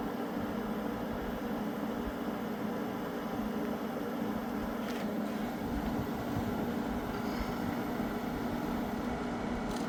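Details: Window air conditioner (Fetters or newly installed Sharp) running: steady even fan and compressor hum, no rattles or knocks; blowing ice cold air and sounds great, normal running.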